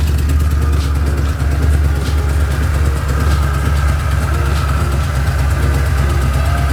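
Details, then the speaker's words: Mustang with a bone-stock two-valve V8, headers cut because they were welded without flanges: a loud, blatty idle with sharp, uneven exhaust pulses and a raw rasp. Exhaust open at the headers. "so we had to cut it so you're gonna hear that open header when I start it up"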